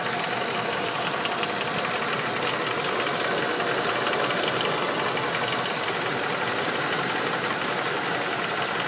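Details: Ford Windsor 5.0 V8 at idle: irregular light tapping, roughly three per second, over a busy idle; knocking at idle, cause unclear.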